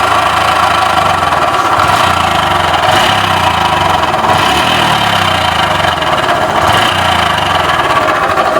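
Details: Honda Wave 110i engine running at steady speed: constant howl over mechanical clatter; viewers suspect crankshaft bearing.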